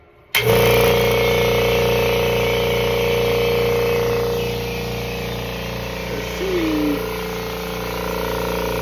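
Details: Kobalt 26-gallon Quiet Tech compressor after regulator replacement (it had been hissing loudly), charging the tank: steady motor drone with a constant hum and no hiss of escaping air. It charges normally until full, then stops.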